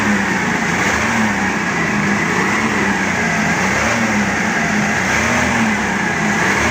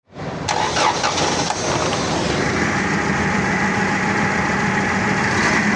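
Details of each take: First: Forklift engine after all four spark plugs were replaced to cure a misfire, now a loud continuous idle with a smooth even beat, no stumbles or misses; all four cylinders firing. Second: The forklift was misfiring, so I replaced all four plugs.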